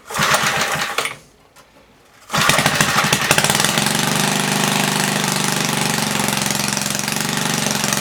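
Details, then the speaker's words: 1976 Tilly rototiller, 3hp Briggs & Stratton with points, revived after years not running; main jet leaned, points cleaned. Loud unmuffled pop settles after a short stall into an even fast beat at 3400 rpm, slightly fluttery, no load; normal running. "i set the rpm at 3400 it's a little fluttery but uh it's also not under load it runs pretty good i'm happy with that"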